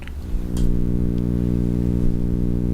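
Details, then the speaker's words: Shure SM7B mic through a Cloudlifter into a Zoom H6 at gain 2 of 10: constant low buzzing mains hum induced by a 9 V AC adapter transformer placed on top of the Cloudlifter and near the mic. "The transformer, well, it does things like that, and depending on where you put it, there it is on top of the Cloudlifter."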